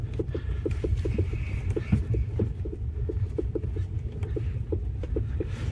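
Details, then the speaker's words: Renault Logan rear suspension on a rough-road drive: sharp hollow knocks, three or four a second, over a low rumble, like a loose muffler. Caused by the shock absorber nut tightened almost fully; loosening it stops the knock. "Вот он , этот стук, как будто глушитель сзади расшатался. Гайка затянута почти до упора."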